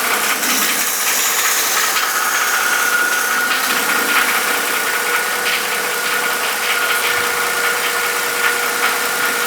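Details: Mercedes M272 V6 (S211) at hot idle, before an oil change to thicker 5W-50 to test a cure: a light, uneven tapping knock, about two to three per second, over a steady hum. This is the M272 idle knock; lifters are possible, not confirmed.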